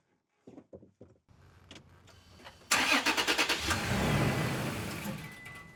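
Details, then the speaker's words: 2020 Toyota Tacoma TRD Off-Road after K&N NextGen cold air intake install, mass airflow sensor just cleaned: starter cranks, engine catches with a loud burst then dies within seconds. "I try and start it up and it immediately dies."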